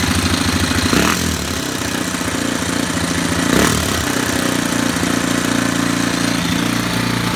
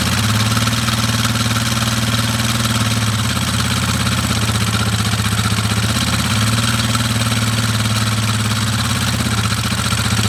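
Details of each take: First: Warrior #4 single-cylinder after valve adjustment, about an hour or more on the rebuilt motor, no fuel tank fitted: steady, slightly high idle with only a faint top-end rattle left and oil smoke cooking off; runs good. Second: Warrior #4 single-cylinder, briefly warmed up after valve adjustment, timing chain tensioner near its limit: idle with a light, quick tick over each beat; still something there, owner suspects the timing chain tensioner.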